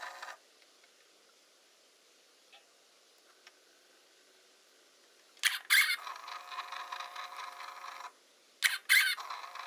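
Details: Hasselblad Winder CW squeaking: two bursts of sharp, high-pitched squealing as the winder drive runs, quiet between cycles, a dry squeak from the drive train.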